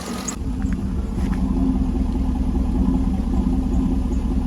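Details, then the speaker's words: 2009 Cadillac Escalade V8 after oil pickup tube replacement, oil pressure up from 19-20 to about 40 psi at idle: steady low idle with slight flutter, no ticking or knocking; normal idle. "sounds good other than that little jump so we're going to see if it start ticking or not"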